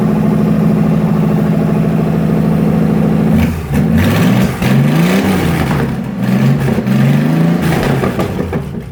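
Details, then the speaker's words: V6 Ford 2N tractor, engine warming up after a carburetor vacuum leak was plugged; even, steady idle with a few clean throttle blips rising and falling, no hiss or stumble — normal idle. "Gonna double check, make sure all the other ports are covered, and then we'll start it and let it warm up for a minute."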